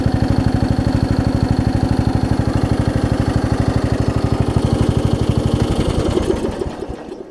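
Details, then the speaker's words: Craftsman 38-inch riding mower single-cylinder engine after new aftermarket carburetor and starter solenoid: even, steady putt-putt idle about three beats a second, no misses or hunting, then winding down. "quite first and stuff works you can hear how well it idles down to even with this Chinese carburetor"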